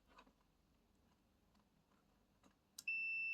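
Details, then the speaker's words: Kitchen deep fryer repair, continuity test on the limit switch: no continuity at rest, then with the switch pressed a steady, high continuous beep starts and holds. The limit switch closes and is working fine. "Ah, yeah, it beeps. So this is a limit switch and it's working fine."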